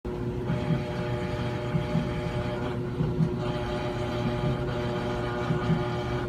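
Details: Brand-new Samsung washer bought new, steady low electrical buzz throughout with a soft thump about every 1.25 seconds as the drum turns; abnormal buzzing noise, washer was returned.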